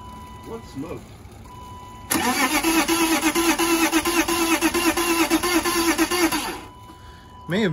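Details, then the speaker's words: BMW E34 Touring wagon, 5-speed manual, parked about 7 years: starter whirs steadily about four seconds with uneven chuffs after a backfire and smoke, never catches; crank no start, old fuel described as horrible, fuel supply problem suspected. "yeah it's not happy [Music] and whatever fuel is in there is horrible"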